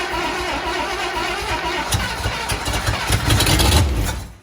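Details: 1954 Buick Roadmaster with a 322 nailhead V8, stored possibly 10+ years, cranking with the starter (engaged via throttle cable) after a little gas was poured into the leaky carb. Even cranking about four turns a second grows louder without catching; turns over but won't fire.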